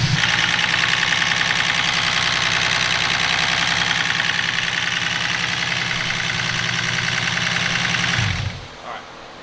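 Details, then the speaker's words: Turbo BMW E36 wagon engine, formerly a 318, at first start-up after a rebuild, smoking from assembly lube: quick steady ticking of 3–4 per second over the idle. A noisy head, likely lifters not yet bled out. "the head's a little noisy but every time I take one of these apartment put back together the head's always incredibly noisy I don't know why it takes so long to bleed the lifters out"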